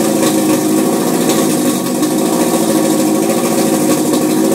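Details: 2002 Type S with Injen cold air intake, hard to start after sitting a few hours: rough idle with uneven warbling drone; same noise with intake disconnected at engine, cause unknown.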